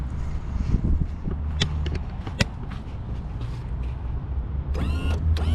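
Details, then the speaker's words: Mercury 115 hp outboard from a fire-burnt Lund boat: after checking trim wiring for shorts to ground and fitting a 20 A fuse with no pop, short crisp electric whirring bursts; trim/tilt motor runs normally. "20 amp fuse and it's going. Should be no pop. No pop. Now tilt should work."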